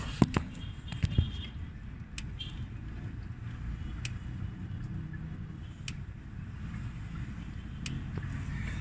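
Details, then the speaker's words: 7th-generation Honda Accord, engine running, mic at the hood: scan tool active test switches automatic transmission shift solenoid E on and off, giving sharp light clicks about every two seconds; solenoid working properly. "so this solenoid is clicking well and basically he just turns it on and off you know and as it does that you hear the clicking"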